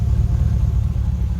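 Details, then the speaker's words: Jeep TJ with swapped L99 LS V8 and 6L80 transmission from a Camaro, exhaust note at idle: deep, even low rumble with a steady beat, no misses, knocks or ticks; smooth, super quiet healthy idle. "It's running right now, so it's super quiet. Like I said, it's running. You can't even hear it. I mean, that's the exhaust note with it just sitting here idling."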